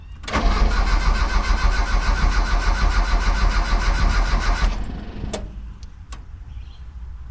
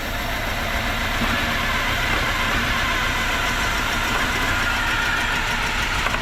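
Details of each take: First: Mitsubishi L200 after EFI conversion, day two of a no-start. A missing second ECU ignition signal wire was bridged, but the starter churns steadily about three beats a second for four seconds with no catch. Cranks but won't fire; distributor timing off. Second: Mitsubishi L200 after an EFI conversion, first start: a steady, continuous idle with a fairly rough hum and no obvious misfires or knocks. The distributor may be a tooth out or need timing adjustment.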